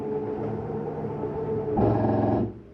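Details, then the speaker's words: 2024 Flagstaff Superlite 26FKBS, slide-out extending: steady motor drone turns to a brief louder rough buzzing ratchet then stops as the clutch override slips at full extension; normal, not grinding. "the slide mechanism saying I'm all the way out, let go of the button. Some people are confused and think it's something grinding. Nope, it's just an override that shows that it's all the way out."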